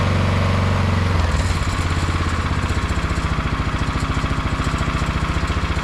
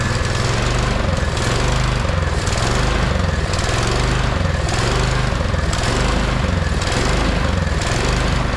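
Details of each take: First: 22-inch MTD Yard Machine snowblower, owner thinks 5 hp 179 cc, after the carburetor main jet was drilled out to cure surging: after a brief blip it settles into a steady, even chug with no rise and fall. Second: 22-inch MTD Yard Machine snowblower, owner thinks 5 hp 179 cc electric-start engine, neglected and would only run on choke: the engine hunts up and down about once a second and never settles, surging from a restricted carburetor main jet that needs drilling out.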